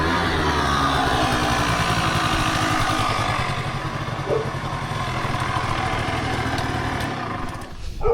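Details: Motorbike started on a cold afternoon after new CDI connections, a fuel change and the fuel tap switched on. Steady, even beat at a fast idle that holds without misses or stalling. It is running normally again.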